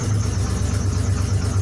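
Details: Chevy square body truck with a grinding starter: deep, smooth, even idle rumble with no grinding or misses before cutting off; normal idle.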